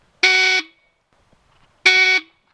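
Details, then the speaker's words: BSA A65 Thunderbolt motorcycle with a replacement 12-volt horn fitted: two short, loud, shrill blasts with silence between. The horn works properly. "there's nobody really apart from anybody that would be completely deaf that might not hear that but even they might feel the vibrations and the Tremors from it anyway so uh we're going to be heard if we need to press that button"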